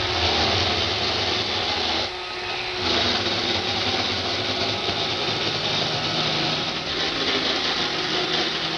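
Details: Roomba 560 robot vacuum on hardwood floor: constant harsh rattling hiss, something loose buzzing, cause unclear; quiet on carpet, earlier Roomba Discovery quieter on the same floor; owner later fixed it.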